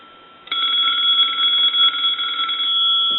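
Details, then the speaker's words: Touch-tone brass Majesty telephone on initial checkout, bell enclosed in the housing so ring is muffled: clean steady bell ring about two seconds with slight trailing tone; ringer working normally. "you're not going to get a real loud ring out of these uh telephones because the Bell uh doesn't have any way for the sound to come out really so it's kind of Trapped"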